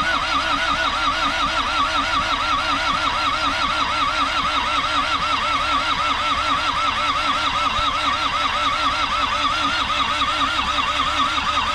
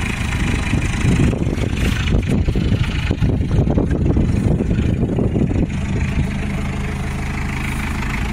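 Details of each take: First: Isuzu P'up turbo diesel four-cylinder mini truck sitting 28 years, injectors bled, fed dirty parts-washer fluid: steady rhythmic cranking about one compression beat per second for twelve seconds without firing; cranks, no start. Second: Isuzu P'up turbo diesel four-cylinder mini truck, first run after 28 years sitting, on parts-washer fluid: busy start settling into steady, even low diesel clatter without knocks or misses; normal idle.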